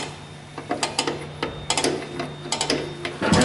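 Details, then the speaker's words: Normal drum brake star adjuster clicking on a 2008 Ford Ranger rear drum brake with new shoes, hardware and drums: the lock lets the adjuster spin only one way, giving crisp, uneven ratchet clicks, a few per second, as it turns. "we know that the lock will only allow that uh adjuster to spin in One Direction and you'll actually hear it"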